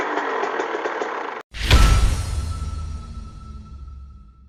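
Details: TC125 two-stroke just fitted with an FMF pipe and silencer: music, then one sharp crisp rev falling away smoothly with a clean ring; healthy, revving freely.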